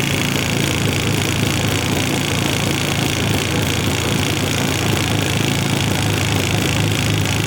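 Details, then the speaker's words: Polaris Explorer 400 two-stroke ATV, revived, running on choke: uneven, fluttery burble that never settles; lots of oil in the bottom end from the oiler stuck wide open by a stuck cable must burn off. "Of course, it's still got a lot of oil in the bottom end where that oiler was stuck wide open with the cable being stuck. So, it's got to burn a lot of that out, too."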